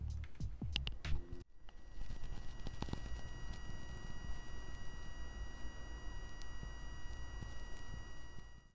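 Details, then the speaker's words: Headset plugged into an Xbox One controller; steady high electronic whine near 2 kHz with a fainter lower tone, under low hiss and handling clicks, a beeping/buzzing sound fixed through the console's controller menu settings. "Now today I'm going to show you guys how to fix the headphone situation with the beeping sound on your headsets when you connect it to your Xbox One controller."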